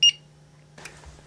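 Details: APC ES 750VA 450 W battery backup, battery just connected: one short sharp high beep at power-button switch-on, then a faint steady hum, green light on; powering up normally.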